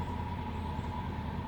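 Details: 1995 Oldsmobile Ninety Eight Regency Elite after new lock cylinder and VATS security bypass; quiet, steady idle with faint even hum, no stumbling, ticking or knocking; engine running smoothly.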